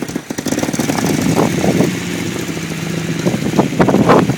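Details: Unimog 404 first start after new fuse boards and a rewire: rough, uneven rumble with choppy bursts as the engine catches and settles into a running idle; nothing abnormal, normal idle.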